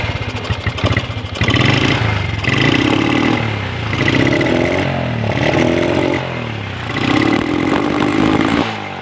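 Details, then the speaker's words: Honda Revo motorcycle, air filter housing cleaned and new spark plug fitted: repeated throttle blips stumble and sputter, engine won't rev out freely; carburetor needs servicing. "kita ganti busi baru, tapi suaranya tetap berbet teman-teman ya. Suaranya tetap berbet, digas nggak bisa los."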